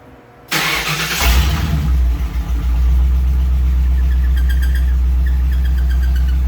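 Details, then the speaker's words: 1938 Ford after sitting, 50 psi oil pressure, fuel drained from the rail. Deep idle with an uneven, stumbling beat. Owner suspects a sticky injector from sitting: misfire. "still misfiring for some reason might have a sticky injector from from it sitting I drain the fuel out of the rail"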